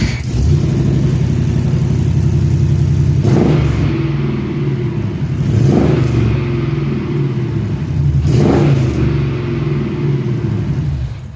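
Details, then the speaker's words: LS-swapped Chevy C-10 V8 with cheap mufflers, possibly Magnaflows, and an exhaust held by loosened mechanic wire, a likely cause of earlier clunking: start and several rev blips, a deep, even rumble with no knocks. It is loud and a little droney in the cab. "So that was pretty good. A little loud in the cab, and it's a little droney. It's not terrible"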